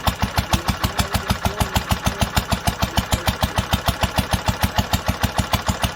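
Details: 1946 International Harvester LBB 3-5 hp water-cooled engine on first cold start after sitting long covered, choked twice; even regular exhaust beats about 200 a minute, steady low chug, no misses or knocking: normal healthy running.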